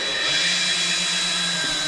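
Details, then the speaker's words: Drill-driven valve lapping with grinding compound on a rebuilt 1965 Chevy Corvair engine: steady high motor drone with a coarse gritty rasp as the valve grinds on its seat before turning smooth and needing more compound. "Okay, now as you're spinning, you'll hear it start to grind and then it'll get smooth again. And then that's when you just push forward, get a little bit more grinding compound on it."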